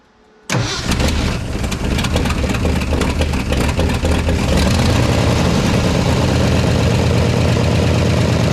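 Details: 1969 Ford F-100 V8, first start after sitting, unprimed, fuel line off carb, a little squirted in: cranks and catches within a second, then a steady, even idle with faint puffing from a leaking exhaust manifold.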